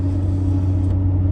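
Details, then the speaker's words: 2018 Ford F-150 Raptor at 40k miles, heard in cab while driving with rear window open: steady low hum with faint fixed tone over road rumble; owner suspects rear differential after ruling out mud-terrain tires, not confirmed. "Concerning my noise, I have the rear window open and you might hear a nice little hum coming from the back."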